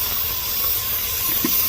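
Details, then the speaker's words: 2005 Chevy Tahoe that shakes while driving, with the check engine light flashing on the highway. At idle a steady sharp hiss of escaping air comes from a vacuum leak, traced to a torn hose that was replaced. "you can actually hear some air coming out so it has a vacuum leak"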